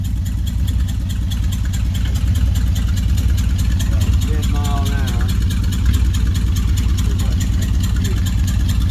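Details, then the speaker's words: 1955 Dodge on a road test with a 70-year-old eBay two-speed automatic; steady drivetrain drone and transmission whir climbing with road speed, then an easy change to a lower, calmer note as it shifts at 20 to 40 mph. Normal upshift. "Oh, it shifted. >> 20 to 40. >> Wow. 20 to 40 mph is on the shift. Remember, this is only a two-speed transmission."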